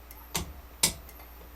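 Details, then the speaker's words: Homemade M301 fire alarm control panel: turning the pull station on and off switches its relay. A few crisp clicks about half a second apart as the relay pulls in and drops out normally. "turns off the pull stations actually go to it relay as well you can hear if I turn on and off the pull station a relay will turn on"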